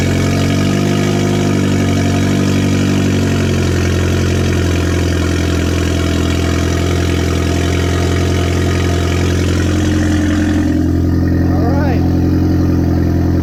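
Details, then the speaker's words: Audi A4 2.0T FSI, freshly rebuilt with JHM K04-R turbo kit, first startup before warm-up: smooth even low idle, steady hum, injectors quiet, no squeals or ticks. Normal idle. "did I hear the injector sounds pretty quiet no squeals no nothing"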